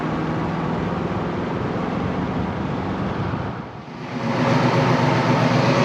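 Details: 1988 Saleen Foxbody Mustang V8, fresh motor with Trick Flow 170 heads, Kenne Bell supercharger, Megasquirt ECU: lumpy uneven idle, sagging then recovering; misfire, pyrometer showed cylinders 5 and 6 running cooler; plug wire suspected, later traced to the Megasquirt setup.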